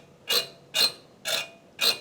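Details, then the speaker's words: Rebuilt injector from Toyota Landcruiser 1HD-T diesel (445,000) on test bench after rebuild; four crisp, hissy chattering bursts, fine atomizing and good leak-off; normal injector chatter. "Yeah. and that's what they should sound like. That's exactly right."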